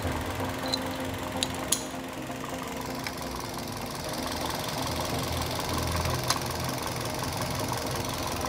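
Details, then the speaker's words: Toyota Yaris (Bakpao) engine idling steadily with an even low hum and no stumble after replacing a dead ignition coil that had caused misfiring; RPM needle now stable, normal idle. "ini RPM juga sudah stabil"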